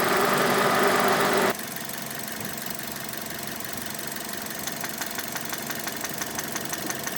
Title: Как стучит шатун. Стук шатунных вкладышей, Мазда 6 GG, 2.0, 2006